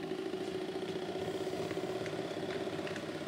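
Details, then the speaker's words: Hornby model train on dirty track, internals altered, running without sound: soft motor hum with light irregular ticks about every half second, louder the faster it goes; drive shaft universal joint not seated in the gearbox. "hopefully you can hear that it sounds like there's something revolving and hitting something we'll say the faster you go"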